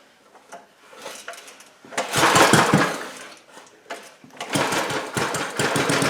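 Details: 1987 Briggs & Stratton 8HP Model 19 flathead, aluminum bore, first start after rebuild with new rings and fresh oil, carburetor not yet adjusted: catches in uneven bursts of rapid popping, then settles into fast, fairly steady running without knocking.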